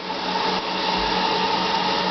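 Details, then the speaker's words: Electric vehicle pack of 60 CALB 180 Ah LiFePO4 cells charging at full 40 A, 37.3 A from the wall, about 205 V, 153.6 Ah in after 4 hours 3 minutes, warm garage: steady charger fan whir, normal operation. "It's starting to fluctuate there for the pack voltage, mostly because you hear that the charger is still whirring away, trying to keep things cool."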